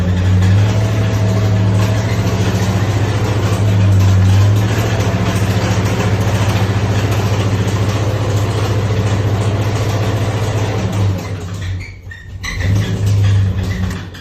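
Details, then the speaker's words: 2006 Trailblazer SS with swapped LS3 V8 and hot cam: steady regular knock about three or four per second over deep idle; teardown found one loose rod with a spun bearing. "Spun a bearing. Looks like there's maybe a little heat in it."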